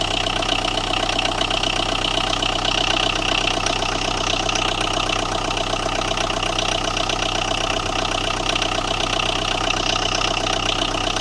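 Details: Tata Indigo with a starting problem, idling: steady, fairly regular engine knock of about two and a half beats a second over the hum; knock source unknown.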